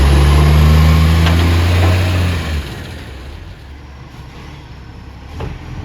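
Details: Ex-Canberra vehicle 728 at a loud, deep diesel idle with a raw, chuffing roar that fades and settles lower: a loud exhaust leak, fitting a big leak near the manifold.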